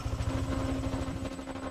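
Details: NMAX scooter checked for a rough-sound complaint: a short burst of steady, even low thumping at idle with no rubbing or scraping, so it is running normally.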